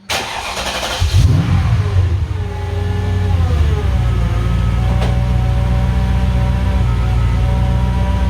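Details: Mercedes 560SL R107 fitted with 480 hp M113K supercharged engine, manual gearbox, MaxxECU, reportedly on E85: catches after a short crank and settles into a smooth, even, deep idle with no knocks or misses.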